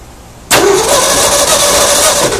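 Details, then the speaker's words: 1972 Ford Bronco 302 V8, not run in at least 20 years, number 1 plug out and a jumper wire from battery positive to the coil: sharp start into about two seconds of loud, even cranking; normal cranking, spark confirmed. "what I'm going to do is I'm just going to bump the engine over and see if I'm getting spark."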